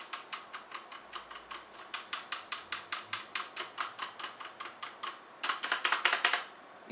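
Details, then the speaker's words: HyperX Alloy FPS Pro mechanical keyboard: loose, rattly clack from unlubed stabilizers on space bar, shift, enter and backspace. "the rattle from the stabilizers in this space bar shift enter backspace shift again"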